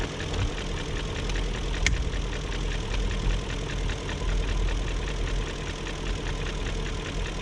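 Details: 2001 BMW E38 740i Sport smooth V8 idle: light quick tick keeping pace with engine speed, persisting after timing chain guide, tensioner and VANOS profile gasket replacement; no codes; owner suspects VANOS unit, origin uncertain.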